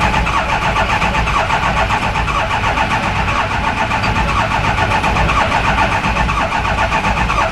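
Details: Ford 6.0 Powerstroke turbo diesel van that refused to start after repair, cranked after freeing oil pressure regulator stuck by a metal sliver: steady once-a-second cranking pulse, then catches and settles into an even idle; starts normally.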